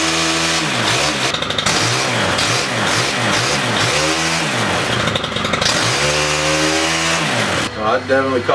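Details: STIHL HT-101 pole saw after shaft repair/replacement and cutter reattachment, first start-up: two-stroke revs cleanly up and down through repeated throttle blips, picking up crisply each time; healthy normal running.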